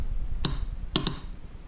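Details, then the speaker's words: 2004 Honda Rancher 400 ATV (title says 2000 Rancher 350) no-start: battery reads 12.52 V and 12 V reaches the solenoid, which is heard clicking two or three times with no cranking; failed starter motor. "Hey guys, today we have a 2004 Honda Rancher 400 and we have no start. I can hear the solenoid kicking in, but nothing's going on."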